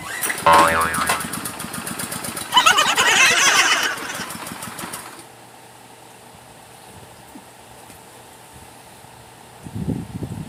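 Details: Generac pressure washer small engine after a new pump was fitted, outdoors with water hooked up: cranks, catches and revs hard for a couple of seconds, then drops to a quiet, even run; starts and runs normally.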